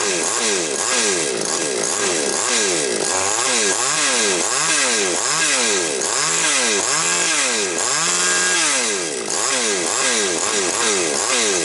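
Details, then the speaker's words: Chainsaw after repair of a fault where the engine speed wandered, it stumbled and the carburetor did not respond to adjustment; started cold: clean, quick revs that drop back, then a steady, even run after the mixture was slightly richened. "Ну, бачите, працює добре."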